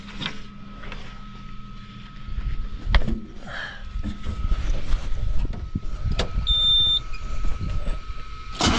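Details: John Deere 6415 diesel after electrical repairs, part not yet tightened: quiet ticking, a short starter bump, then the diesel catches within a second and settles into a steady idle; a clean, healthy start.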